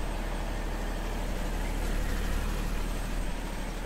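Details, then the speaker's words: 10kVA diesel generator in cooldown after remote-start wire pulled: steady, deep rumble at constant speed with no knocks or surges; normal cooldown run. "and the engine is in cooldown ok so just in case your power is back all right"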